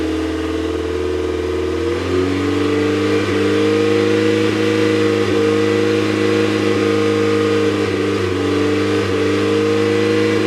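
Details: Mazda MX-5 engine misfiring: revs rise and hold while an uneven stumble and irregular pops break through the exhaust note.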